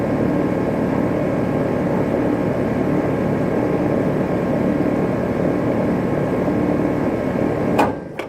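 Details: New 2018 Rheem Classic 14 SEER central air conditioner condenser: steady fan and compressor hum with no rattles, then clean cutoff and wind-down; normal shutdown.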